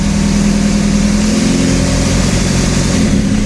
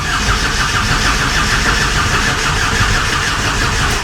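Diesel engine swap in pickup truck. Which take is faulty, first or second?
second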